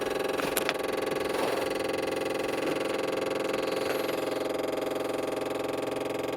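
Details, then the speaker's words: MEP-803A diesel generator that won't start, with diesel fuel sprayed directly into the air cleaner: steady cranking at about three beats a second with occasional firing bursts after the hose is removed; it lights off but won't stay running. Cause not confirmed. "After the hose is removed, it does light off, but it doesn't stay running."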